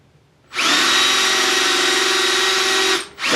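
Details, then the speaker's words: Hand drill drilling out a broken bolt in an interrupted cut: steady high-pitched whine with no chip-cutting chatter as the bit rubs instead of cutting; bit worn dull, can be resharpened on a grinder. "And you can hear it stopped cutting. You're kind of getting that high-pitched whine, the rubbing."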